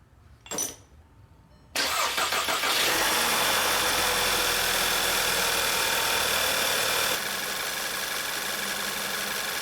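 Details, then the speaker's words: 2011 VW Tiguan 2.0T TSI after water pump and housing replacement, with the cooling system refilled and battery reconnected: short crank, clean catch, then a smooth, even idle settling slightly lower. Normal start and idle. "Alright guys, as you can hear, the engine is running."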